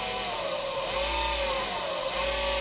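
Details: Motor from a dead power supply under repair, run unloaded by a function generator injecting a PWM signal at pin six, around 50% duty: steady drone with a high whine bending in pitch as duty changes; running normally.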